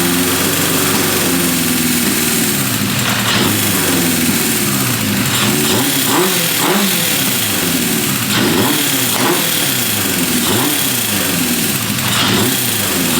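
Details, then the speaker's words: Restored 1978 Honda CB550K four-cylinder, warmed up with timing just set: revved repeatedly, revs fall slowly and hang above idle before settling; carburetors suspected out of sync. "you can hear how you rev it up and it will stay the idle will stay high for a while and then it drops down that that generally is the sign of carbs are out of sink"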